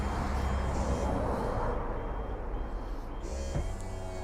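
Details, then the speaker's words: E&P Level C hydraulic levelling, about 13-14 months old, on a 2020 Bailey Alicanto Grande Porto twin-axle caravan, offside centre jack balancing left to right. Steady low pump drone under a faint thin beep; pump working normally. "the offside Center Jack just to bring it back in balance left to right and you do have an emergency stop button there as well just in case you need to and then you retract the jacks"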